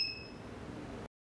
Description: How to cancel the Alarm System beeping sound when it beeps?